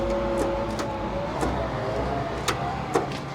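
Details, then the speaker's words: Ford F250 at salvage auction: a few sharp irregular clicks, on and off, with no cranking; bad starter solenoid suspected, unconfirmed. "I mean, it's clicking. Off and on, off and on."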